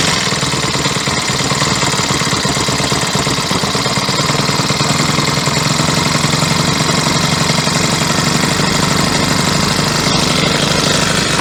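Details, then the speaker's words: Troy-Bilt four-stroke weed eater after replacing yellow-tinted stale gas with fresh fuel: small engine buzzing loud and steady at constant speed, no misses or surging; runs smoothly, bad fuel had caused stumbling. "okay now let's give her a run and see if she sounds any better"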